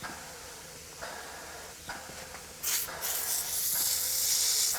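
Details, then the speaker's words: 3D-printed PLA nozzle waterjet test, air-driven pump at 20 psi air, valve fully open; repeated sharp air hisses about two a second at uneven pace, pump cycling but no change in water stream, not loading up. "so that's 20 psi it is indeed cycling but we don't see any adjustment in the water stream"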